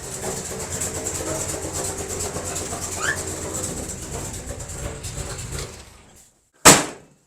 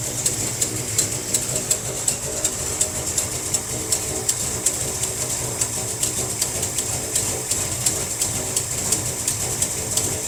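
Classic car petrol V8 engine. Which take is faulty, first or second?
second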